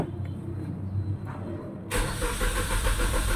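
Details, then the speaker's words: Suzuki Swift not run in four years, earlier start attempts at another shop failed: starter spins the engine at a steady, even rhythm but it never fires; crank-no-start. "OP Okay so dito narinig na natin na puro redondo lang yung ating makina"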